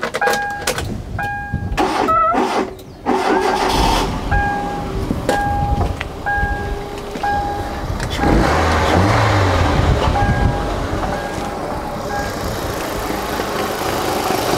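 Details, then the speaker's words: Cheap £200 car for a drag-race challenge, jump-started after stalling on a flat battery, old petrol in the tank: engine settles into a steady, even idle with a door chime pinging over it; runs smoothly. "but it did stall on wooden tree stock because the battery was flat so I could jump it and you'll hear the engine Bing Bing Bing"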